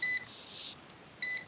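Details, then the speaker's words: Multimeter set to volts instead of millivolts while measuring voltage drop on a neutral wire-nut connection carrying about 1.37 A: two short high-pitched beeps about a second apart. "I don't know why it's beeping. Oh, okay, because we're in volts."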